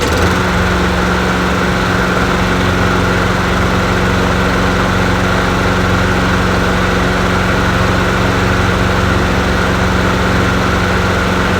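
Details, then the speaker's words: Bolens 22-inch push mower with 4.5 hp Quantum single-cylinder engine, a free non-runner, running after a quick fuel tank drain. It holds a steady, even buzz at constant speed with no surging or sputter; normal running. "hey it works well you know just did a quick and dirty drain the fuel tank out and it sounds good"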